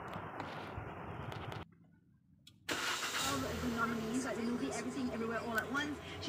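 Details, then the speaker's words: Proton Saga MC2, engine started early in the morning: it cranks and catches, then an extra wavering whine and rattle rides over the idle, unlike a normal start. Owner asks whether it is a starter problem; cause unclear. "sound is abnormal there's an additional sound after the engine is start could this be a stutter problem"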